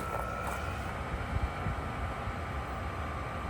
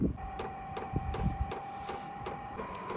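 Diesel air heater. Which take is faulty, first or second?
first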